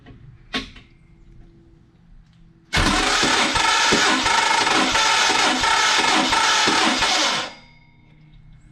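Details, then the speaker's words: 1974 Mopar 400 big block on engine stand, fuel and water pumps off, cranking compression test reading about 165–170: harsh, uneven cranking for about five seconds with rapid rhythmic chatter; owner says starter sounds really bad, cause not pinned down. "I know my starter and flywheel sound a little rough in some areas we'll get to that"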